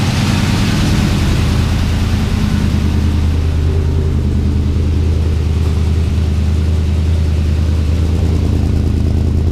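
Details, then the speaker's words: Twin-turbo LS V8 (budget build) at idle, first start with new heat-wrapped exhaust, fuel pressure lowered about 10 psi from 60 to about 50 while chasing a hot-start issue: deep, steady burble with even lumpy pulse, no knocks or misses; normal idle, much quieter. "Okay, yep, let's fire it up and see what's going on. So much quieter in here."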